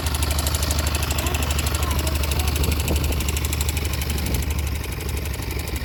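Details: YB single-cylinder motorcycle at idle with a fast, fairly even light tapping over the beat; abnormal mechanical engine noise, cause suspected but not confirmed.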